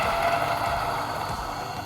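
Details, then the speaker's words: Niche Duo domestic coffee grinder with 83 mm flat burrs grinding beans: a steady high whirring grind with a light rattle that changes and eases as the beans run out near completion. Normal grinding. "flick the switch to begin grinding the beans you'll hear a change in noise when the grinding is almost complete"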